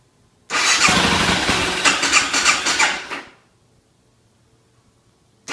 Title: Hard starting BMW f650